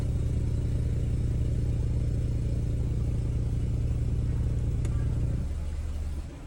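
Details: Reverse-gear low droning noise, BMW 520i F10 LCI with N20 engine, with aluminum charge pipe and boost pipe: deep, steady throbbing drone pulsing about three to four times a second, then cutting off; owner suspects the aluminum pipes, cause not confirmed.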